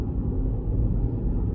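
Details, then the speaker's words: Vauxhall Corsa three-cylinder, no warning lights, accelerating through third, fourth and fifth gears on a road run: even low thrum building smoothly with no whine, clunk or grind; gearbox and clutch fine. "in third now fourth fifth yeah all the gears are good no problem with the gearbox the clutch is nice"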